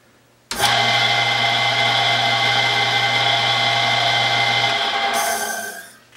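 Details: 110-year-old Crescent bandsaw after new motor mount: electric motor spins up, runs at even steady speed with constant hum, no knocks or rubbing, coasts down smoothly, turning correct direction.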